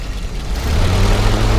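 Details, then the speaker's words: 1952 Willys Overland CJ3A, choke just pushed in, revved with throttle button: low, even engine note climbs smoothly, steady with no knocks, misses or exhaust leaks, runs like a sewing machine; healthy engine revving. "see how the engine reps up then you can push it back in or you can use the gas pedal so um you can see here it just runs really really smooth and runs like a little sewing machine and uh sounds real nice no exhaust leaks or anything like that"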